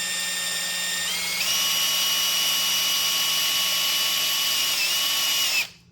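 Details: 1968 Cadillac Sedan DeVille front power seat gearbox, removed from the seat, freshly greased and spun by a drill through a square drive bit: steady whine that steps up in pitch after about a second and holds, as the stiff gearbox loosens.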